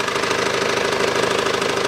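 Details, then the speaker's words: 2012 SsangYong Actyon 2.0 diesel 4WD manual, 77,000 km, idling with AC compressor on: fast regular ticking knock from below at the accessory belt; worn belt tensioner, replaced with new tensioner and ContiTech 6PK1980 belt. "хорошо слышно звук идет снизу хочу поднять автомобиль снять колесо снять боковой пыльник и прослушать с такого агрегата откуда идет этот стук стук неприятно"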